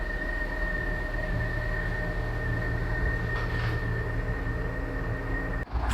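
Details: Abandoned, long-stored Land Rover Freelander after first revival: steady even engine hum with faint constant whine, no ticking; running really well and sounds sweet.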